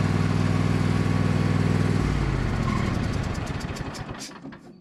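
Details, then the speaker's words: Cub Cadet lawn tractor, badly neglected, driving under load after installing an aftermarket knockoff carburetor; steady low single-cylinder beat around four pulses a second, easing off and fading as it moves away. Runs clean, far better than expected. "Friends, I am absolutely shocked on how well this machine is running on this knockoff carburetor. The results are far beyond anything I could possibly have hoped for."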